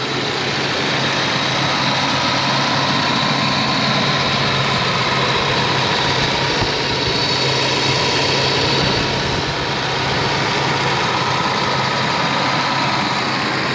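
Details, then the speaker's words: 1987 Volvo 740 Turbo automatic with 37k miles, idling after its air flow meter was replaced with a new Bosch unit: smooth steady idle, low hum with light hiss, no misses or hunting; running well. "the afm was replaced with a new good boss unit and now it's it's running quite well"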